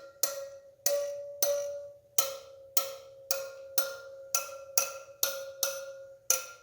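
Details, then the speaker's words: Yamaha TW200 wheel spokes tapped with a spoke wrench starting at the valve stem: sharp taps mostly ringing at one high pitch, one duller lower tone marks a loose spoke needing about a quarter turn; loose spoke. "you hear the tones in those? So some of them hear how that one isn't as high pitched."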